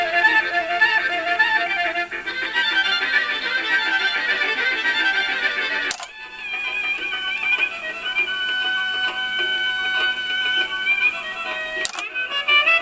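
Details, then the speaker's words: Lloyds 8-track player after cleaning, lubricating and demagnetizing head and track-change mechanism, heads not yet aligned, playing a home-recorded tape: music with a second program bleeding faintly underneath, two tracks at once; crosstalk. "I'm getting two tracks at once here. Actually, it's playing fairly well. What I want to make sure it doesn't get hung up on the tracks as I'm changing. It only sounds like two tracks at the same time."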